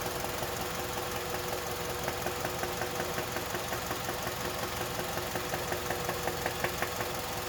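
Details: Kia Magentis 2.0 with a G4KA engine at idle. A sharp, regular ticking knock of about two to three per second stands out over the steady idle; a loud internal engine knock that needs immediate repair.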